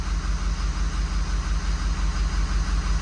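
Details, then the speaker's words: 6.0 Powerstroke diesel bought at auction, code for injector six contribution: deep uneven idle lope about three times a second; cutting cylinder 6 changes nothing while cutting 5 does, so injector 6 is dead, harness short suspected. "six is doing absolutely nothing for example we can turn five off significantly changes the idle the six is doing nothing"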